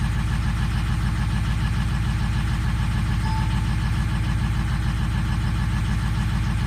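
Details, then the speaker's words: 2004 Ford Powerstroke diesel, cold start: low, regular thumping about two beats a second with slight unevenness; misfire as injector number 4 reads low, suspected sticking, later clearing and returning. "So number 4 is a little low. You can feel it, it's missing right now."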